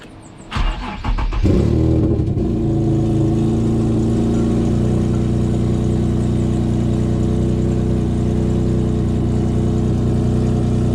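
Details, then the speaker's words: Infiniti G35 started and idling with a massive exhaust leak: loud, raw, rasping drone, far louder than stock, sounding almost like a straight pipe. "Still don't have all my stuff here, so I'm going to turn it on just so you guys can hear it. See how horrible it sounds. Sounds like it's straight pipe almost."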